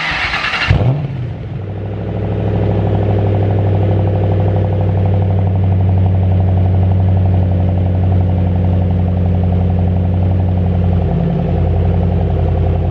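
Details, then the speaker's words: 2007 Ford Shelby GT500 V8, unregistered, after an oil and filter change, gearbox oil change and fitting a Centerforce twin-disc competition clutch: cranks, catches quickly and settles into a deep, even idle with no misses, ticks or squeals; normal idle. "Donc voilà, j'espère que le bruit t'a plu. J'appelle ça un bruit, on disait un son quand c'est quand c'est une voiture comme ça, on dit un son, mais moi je dis que ça fait du bruit."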